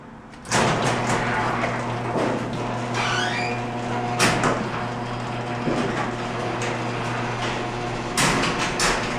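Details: Garage door operating: sharp metallic clanging bangs about every four seconds over a steady motor hum as the door travels, far too many bumps to be healthy; lubrication tried to see if it helps.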